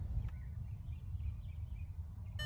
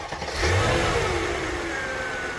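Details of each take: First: Mercedes R500 V8 at idle after replacing a spark plug and ignition coil, dashboard chimes then start. Slight rough idle persists but is much calmer than before, with a faint unevenness still audible. No code thrown yet. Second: Mercedes R500 V8 with about 150,000 miles after replacing the EGR valve and cleaning the pipe to the manifold: revs rise then settle into a steady, even idle with no stumble or misfire.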